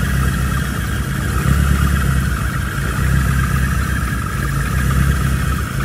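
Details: Rebuilt VW Mk1 Rabbit engine running after oil pan removal and re-torquing bearing caps (faulty cheap torque wrench blamed); smooth, even idle, steady low hum, no knocking or tapping; owner doesn't fully trust it yet but it runs normally.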